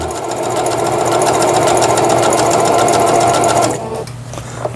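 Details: Singer Stylist 7258 110V sewing machine, after repair of needle regulation cam crank and reverse button: steady rapid needle clatter, three to four stitches a second, brief pause at reverse, even and smooth; normal stitching.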